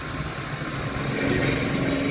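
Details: C88 drone after repair: even, steady motor buzz climbing smoothly in pitch as speed is raised for lift-off; motors running normally.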